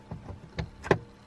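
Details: Renault Vel Satis/Scenic automatic electric parking brake, after a parking brake fault alarm; both switches now read the same: short crisp actuator clicks and whirs as it applies and releases, no fault; working normally.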